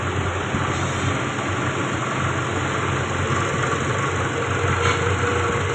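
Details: Toyota Camry that had started for two seconds then died, with codes P0351–P0354 for the ignition coil circuits: after replacing one ignition coil it idles steadily and evenly with a smooth low hum and no misses.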